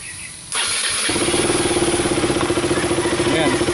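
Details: KTM RC 200 motorcycle, temporary bypass of a burned termination unit that caused a no-start: engine catches after a short crank and settles into a steady, even idle with a quick regular beat; starts and runs.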